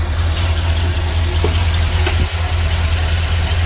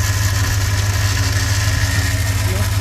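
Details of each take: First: Ford truck, 34,000 miles, sat for years, idling after a new PCV valve fixed its tick: steady low idle, even hum, no ticking or clicking; possible exhaust manifold noise noted, grommet may also need replacing. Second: Ford truck petrol engine, 34,000 miles, sat for years, idling: light, irregular ticking rattle riding on top, coming and going, resembling lifter tick; plug wires ruled out.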